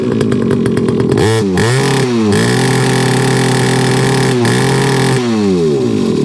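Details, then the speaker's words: Rebo ATV quad bike, rescued from a recycling centre, running after repair with choke off: small single-cylinder engine revs up and drops back cleanly several times, pulling eagerly with no misfire or stumble. Quite pokey for its size; healthy running. "right so it runs now the problem is is that that is that for what it is that's actually quite pokey"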